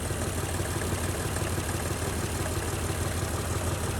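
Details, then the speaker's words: Honda Ridgeline pickup that sat unused in the woods for years, first start: even, smooth idle with a steady pulse and no ticks or knocks; alternator still charging. Normal idle. "Besides that, she sounds good. The alternator's still charging."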